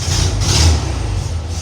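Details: 1972 VW Beetle air-cooled engine after hard start relay installed to cure hard starting: deep, even burble holding a steady idle with no knocks or misses; healthy.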